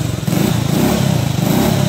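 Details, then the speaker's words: 1984 Honda ATC 110 three-wheeler fitted with a 1979 ATC 110 head and new rings, started completely cold; it needed choke and some gas, then fired right up. The small single-cylinder buzzes at a steady fast idle with even pulses and no knocks or misses: it runs clean after the top-end work. "well here it is just took me a second to get it started i just need to give it some gas when i first took it when i first pulled it but fire's right up"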